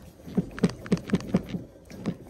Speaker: got to find out what that clunk clunk clunky sound is feels like the engine isn't tight